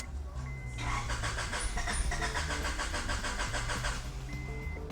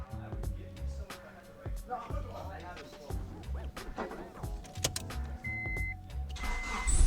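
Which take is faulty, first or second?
first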